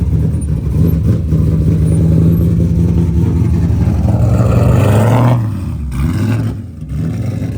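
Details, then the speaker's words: LS-swapped Nissan S14 with custom straight-pipe exhaust, tune running too rich: deep, uneven lumpy burble, revs sag and the engine stalls; owner guesses it ran out of fuel, idle rpm drops reportedly lose oil pressure. "it does not run good at all oh did it stall I think it's stall it might have ran out of fuel"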